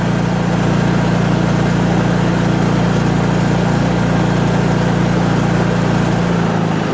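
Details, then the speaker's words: Honda EU3000is inverter generator after restoration (new recoil rope), first start on choke, running in a shed; steady even drone, no misses or knocks, fired right up and sounds good. "that's wow i'm impressed thing fired right up sounds good"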